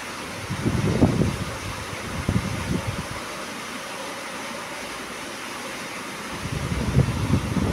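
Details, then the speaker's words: Repaired National desk fan that previously would not run, running on speed two while oscillating left and right: soft, steady whoosh with a few handling bumps but no rattles or scraping; sounds healthy. "Speed dua. Mantaplah angin dia kuat. Oh. Tu tu dia hidup. Boleh pusing kiri kanan."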